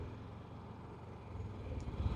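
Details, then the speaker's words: Yamaha EF6300iSE (carbureted) and Honda EU7000iS generators, 32 oz of gas each, 1000 W load, about 45 minutes in: a steady drone swells and wavers unevenly as the engine hunts for fuel; surging from fuel starvation, and the Yamaha shuts off at about 46 minutes. "the yamaha's surging at 45 minutes the Yamaha is surging at 45 minutes guys something's happening still putting out power they're both surging"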